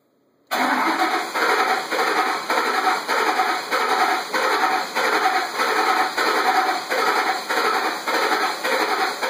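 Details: 2006 Ford F150: starter cranks steadily at about two compression pulses a second but engine never fires; crank-no-start, with a weird throttle body noise also noted.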